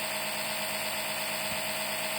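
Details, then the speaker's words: Citroën C5 X7 2.0 HDi 138 (DW10) oil change by suction with a LIDL extraction pump: thin, high, airy steady buzz with no deeper sucking note; probe not in oil, pump running dry, not a drop coming. "Je ne sais pas du tout s'il y a de l'huile qui vient. Rien. Pas une goutte d'huile. Alors je le décale un tout petit peu. Alors, normalement, elle devrait faire un bruit un peu plus sourd d'aspiration."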